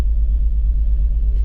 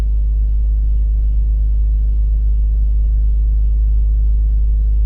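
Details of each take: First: 2004 BMW X3 3.0L at idle: low rumble with a slightly uneven, stumbling beat. Scanner codes P0301 and DME cylinder 1 misfire/firing confirm a cylinder 1 misfire. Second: 2004 BMW X3 3.0L petrol inline-six after replacing the ignition coil for a cylinder misfire (P0301 cylinder 1 code; misfire moved with coil swap): idles evenly with a steady low rumble, no stumble or skip.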